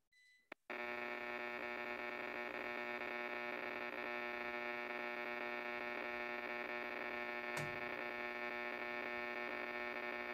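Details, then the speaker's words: Amateur radio receiver, 40 meters: harsh raw buzz with rough, varying pulsing edge instead of normal gentle hiss, example of power line noise interference raising the noise floor. "and as you can kind of tell there's some variation in it it's not a usually a constant kind of thing"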